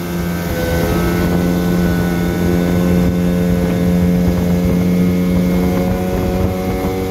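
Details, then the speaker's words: 1974 Johnson 15 hp outboard on a 16 ft boat, pond test after new fuel line, plugs, gear oil, impeller and carb tuning: steady, even hum at constant throttle, no misses or knocks; normal running. "giving it a run on the pond here to see how it's doing uh seems to be doing well"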